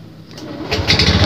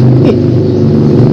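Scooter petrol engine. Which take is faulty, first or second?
second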